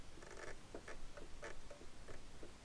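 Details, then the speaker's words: 2003 Yamaha R1 with the front jacked up under the exhaust collector and the fork rocked by hand. Light dull clicks about three a second as play knocks in the head: a loose front steering head bearing that needs tightening. "know can you guys hear that there's play in there it's actually rocking back and forth so we need to tighten the front steering head bearing that's how you know that it's loose"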